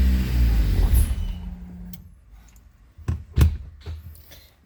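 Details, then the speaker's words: Rebuilt K24 engine in a Honda CRX on its first start after the rebuild: it catches, runs about a second, then winds down and dies with a few clunks; it stalls on its own for an unknown reason. "turned on for a second stall it all by itself try it again okay uh I'm not sure why she's turning off by herself"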